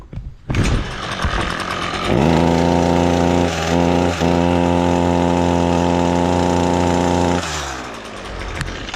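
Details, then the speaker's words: Echo SRM-225 string trimmer: runs low, flat and underpowered, bogging with no crisp rev, because carbon has clogged the exhaust spark arrestor screen. Fix: remove the top cover's screws (likely T16 Torx) and clean or remove the screen. "If your Echo string trimmer is making that noise, it is going to be your exhaust screen."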